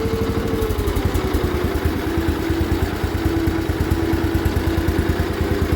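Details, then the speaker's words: Barn-find 1973 John Deere 140 H3 garden tractor, sat about 20 years, just started and warmed a little: slow, loping, sagging idle with uneven chuffs around three per second, barely staying running; idle set way too low, PTO works. "So far, so good. Okay, the idle is set way too low, but PTO even works."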